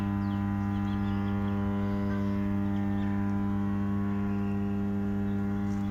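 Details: Steady low electric hum from a 220 kV, 50 MVA power transformer running normally, caused by core magnetostriction; faint birdsong in background.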